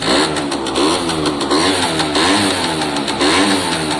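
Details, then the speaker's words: Italjet Formula 50cc two-stroke paddock bike just after the electric choke switched off, with premix oil added to the petrol giving some smoke: a crisp buzz that rises and falls cleanly with throttle blips, no misfire; normal revving. "I put some oil in with the petrol, so quite normal to have a bit of smoke. Sounds very healthy to me."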